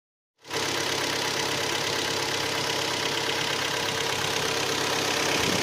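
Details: Hyundai ix35 G4KD engine, 66,000 km, cold start after 12 hours standing outside: a steady dull knock riding on the idle. Pistons are slapping in scored cylinders 2, 3 and 4.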